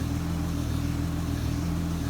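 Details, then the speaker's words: Honda Pilot power steering after replacing the rusted-through line with nickel-copper and bleeding air: smooth, steady low hum with no groan or whine while the wheel moves; steering light again. "And it's working like it should. The steering is very light, and this is just like it was before."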